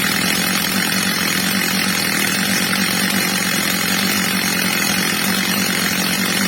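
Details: Old, well-worn Stihl MS230 chainsaw after fitting a new replacement carburettor, during its adjustment: smooth, steady high-revving two-stroke buzz at even pitch, no surging or stumbling, normal running.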